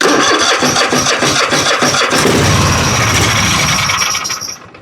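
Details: Husqvarna riding mower, Kohler 7000 series engine with new carburetor and starter: catches on a primer spray, runs rough and loud about four seconds, then dies; fuel starvation from a fuel flow issue at the tank.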